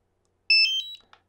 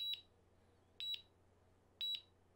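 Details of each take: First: DJI Mavic Air remote controller power-on: short, bright multi-tone chime of rising electronic notes; a chime with more than one tone is normal, not a fault. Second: DJI Mavic Air controller return-to-home alert: a chime starts, then high, short double beeps repeat once a second until the drone returns home; pressing the button again or pause stops it.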